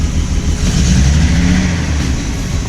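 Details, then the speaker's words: Engine after the idle screw was turned a bit more: deep, steady rumble with an even beat and no stumbling or missing; idles smooth and healthy. "It sounds really good now. I don't know why it was like really. Maybe it's just like. I just had to turn that screw a little bit more. That was it. It sounds good now."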